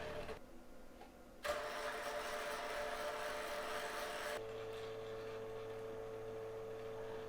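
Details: Kodak Advantix FD300 APS film scanner during scan: harsh buzzing and irregular snapping and whipping over a steady whine, louder mid-scan; sounds crunchy but still works.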